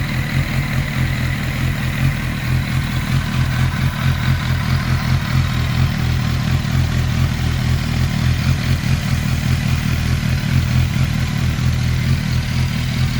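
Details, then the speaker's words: 1991 Kawasaki ZXR750 with twin Toyota Supra turbos, idling after tuning; no exhaust smoke, idles on less throttle; steady even low thump, no misses; normal smooth idle. "so much better I'm very happy how the bike runs down low it probably hasn't ran that good in its whole life at idle"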